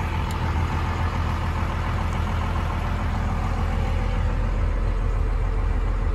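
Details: 1995 Dodge Ram 3500 dually 4x4 with a 12-valve 5.9 Cummins diesel, five-speed manual, 45,628 miles, fully serviced: steady, even low diesel clatter at idle with no knocks, misses or surges. A healthy, smooth idle.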